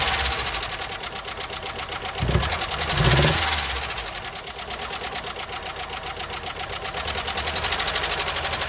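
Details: 1993 Jeep Wrangler YJ first start after years parked, before an oil change with 10W30, engine treatment and a new filter: rapid, light ticking about three per second over a rough idle; owner suspects an oil-starved top end; valvetrain ticking at idle.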